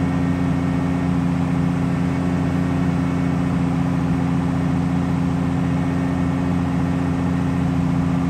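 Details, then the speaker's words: 4.7 stroker crate engine replacing a 4.0, first start during cam break-in: steady, even fast idle with a smooth low drone and no knocks or ticks. "Boy, that thing sounds smooth. I want to hear it idle, but it says immediately after it starts you're supposed to cam brake it in, so that's what we're doing."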